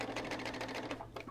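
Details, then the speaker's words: Sewing machine on generic stitch stitching minky plush fabric: quick even stitching about seven beats a second, then stumbles and stalls, really stuck; jamming because no bobbin was fitted. "it's stuck already what happened i don't know it's like really stuck"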